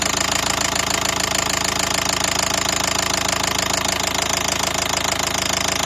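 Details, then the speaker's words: 2012 Nissan Qashqai 1.5 diesel idling: sharp, regular metallic knock about 200 per minute, steady, began suddenly on a morning start, unchanged by disabling injectors, injector returns even. "проблема такая получилась что раздается стук в двигателе Он начался как хозяин говорит внезапно утром завел и начался стук"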